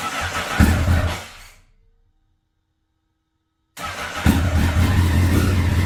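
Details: 2009 Honda CBR1000RR Fireblade, bought sight unseen, after long storage outside in an auction lot, battery not fully charged: engine fires and runs unevenly, fades out, restarts to a lumpy unsteady idle; rough running, cause unconfirmed.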